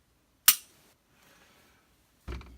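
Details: Glock 19 function check after cleaning, dry-fire: one crisp snap, then a duller clack about two seconds later. Striker releases cleanly and the trigger works normally.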